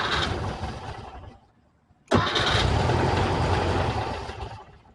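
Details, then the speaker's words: 1968 VW Type 3 original fuel injection, cold running problem: engine catches, runs briefly and dies, restarts and fades again; stalls when throttle opened, won't come off idle; injectors seemingly not firing. "Because trying to throttle it doesn't care. It just dies. Yeah, it's like it doesn't know that's supposed to come off idle."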